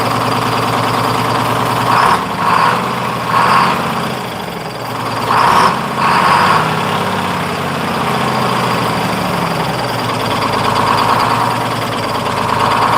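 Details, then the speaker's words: 1948 GMC Silversides Greyhound bus, freshly in-frame rebuilt Detroit 6-71 two-stroke diesel after buffer screw reset for high idle. Steady drone with quick rev bumps picking up cleanly and settling back smoothly; good throttle response. "Sure has good response. Yeah, it does seem like it's got really good response."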